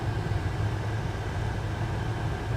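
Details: VW after blower motor replacement, key on: steady low hum with no squeak or chirp as the new cabin blower fan runs smoothly and quietly.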